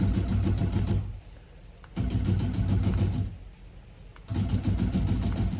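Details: FF6 remote-controlled flapper, button A push-and-go mode: bursts of quick even chatter about a second long with short pauses; motor cycling normally.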